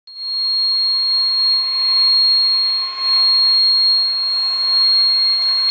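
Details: Steady high-pitched electrical buzz from a servo motor holding position, one constant pitch without pause.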